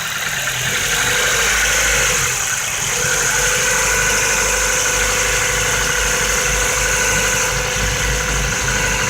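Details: 2008 Ford Focus 1.6 automatic, 110,000 km, held at 1500 rpm: light rapid double tap about three times a second over the engine; likely piston pin knock, fix requires engine overhaul (replace pistons and pins, possibly machining).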